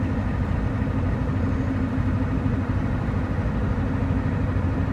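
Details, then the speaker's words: Ford F-250 with 7.3 IDI diesel on all-terrain tires, driving at about 40–45 mph indicated (about 42–43 actual): a steady low droning rumble with no knocks and an even diesel underneath. All-terrain tire road noise. "But so yeah, it's got a little bit of a tire noise, but this is what it sounds like at 40 miles an hour, or 45-ish miles an hour"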